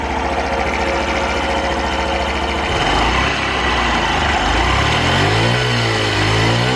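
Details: Honda Super Cub 50 FI AA04 parts bike, recall work done; small single ticks over steadily, revs up and down cleanly, no knocks or rattles: normal idle and revving.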